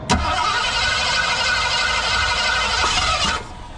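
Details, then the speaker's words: Broken-down vehicle cranked with ether, 12.52 V at key-on dropping to 10.3 V while cranking: steady starter cranking about four turns a second, tries to fire but won't start; owners suspect weak coil, unconfirmed. "10.3 it tried to fire yeah yeah that's the most we've gotten out of it"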